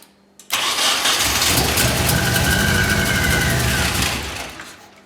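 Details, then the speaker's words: Nissan 240SX S13 KA24DE dual cam, first start after spreading squished plug wire terminals at the cap and coil to restore spark on all four cylinders, no radiator fitted: catches after a brief crank, then a lumpy, uneven idle before fading. "now now that we got it to fire and somewhat idle I'm gonna hook my radiator up put some water in it"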